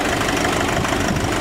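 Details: Diesel with turbo, after a new alternator (alternator bearing had squealed), idling about five minutes on a chilly day: steady even clatter, no belt squeal; runs smooth and healthy.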